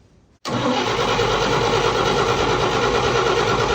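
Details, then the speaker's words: Fire-damaged 1951 Chevy after carburetor flooding: starter spins the engine steadily for over three seconds with an uneven churning beat but never catches; cranking no start, no spark. "No spark? There's no spark. No. Well, that explains it."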